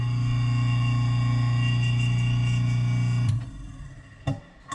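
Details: Newly installed InSinkErator Badger 5 Standard 1/2 HP garbage disposal on its first test after replacement. A steady low motor drone runs evenly for about three seconds, then spins down with light clatter. Operating normally.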